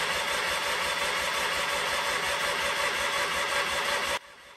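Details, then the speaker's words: Sears Craftsman FF24 engine out of tractor, fuel reaching carburetor: steady starter churning with even cranking beat, never fires; cranks but no spark, points suspected. "and then I started realizing that maybe we're not getting spark"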